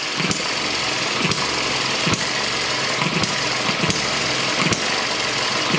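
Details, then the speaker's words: ET6 model hit-and-miss engine on its very first run after fuelling and a slightly weakened mixture: sharp single firing pops about every second with quiet coasting between, running steadily and evenly after starting easily. "okay okay let's see if it starts again let's get this nice and tight it doesn't need a lot of rpm i don't think really it started quite easy there she goes"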